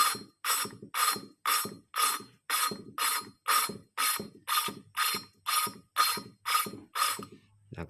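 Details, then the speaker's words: Motorcycle valve lapping for beginners: a rhythmic, gritty rasp about once a second. The owner adds fuel when the bite feels weak. Each lift-and-turn stroke bites sharply again as the valve grinds against its seat. "jika dirasa tidak ada gigitan Kang bro kita bisa Tambahkan BBM kayak gigitannya kurang gitu ya Tambahkan BBM Nah ini kan menggigit lagi suaranya"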